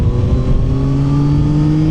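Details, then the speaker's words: 2025 Yamaha Tracer 9 GT with Y-AMT, CP3 inline three-cylinder engine, under acceleration on a test ride: smooth, addictive howl climbing steadily in pitch as revs build, even and free of knocks, with only slight vibration; healthy engine pulling cleanly. "that lovely how from the inline threecylinder is just very addictive."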